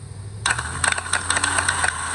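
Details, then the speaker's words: 2008 Honda Civic that wouldn't start (clicking, starter whirring), starter bench-tested: it whirs freely with light metallic chatter but the pinion gear never throws out. Bad starter, pinion not engaging. "You can see the starter is just spinning one spot. You can see. see how the gear is just spinning one spot? It's supposed to push the gear out and spin it. So this is a bad starter."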